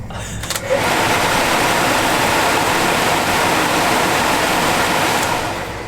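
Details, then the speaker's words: Early Bronco heater blower motor after lubricating with CRC Power Lube: steady even whir with no squeal or chatter over the airflow hiss. It previously sounded horrible and now sounds like new. "Well? It's rebuilt. Oh my god. Like brand new."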